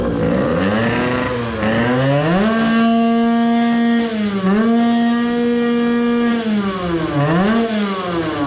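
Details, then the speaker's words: Modified 20 hp moped two-stroke with filled crankcase and resin-repaired bearing, after 10 minutes break-in idle: repeated blips with revs dropping faster than normal, struggling; then it seized, main bearings suspected. "to drop faster than normal right. that happened after all I let it idle for 10 minutes and it was running well but I only had to rev it for like 5 times and I could hear it is struggling then it seized."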